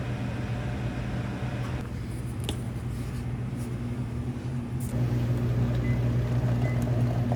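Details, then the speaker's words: Detroit Series 60 diesel truck engine running: a steady rumble with a thin, high, loud whine over it, attributed to the bull gear; gear whine. "I can hear it run. But man, that whine, that bull gear is so loud. It's bad."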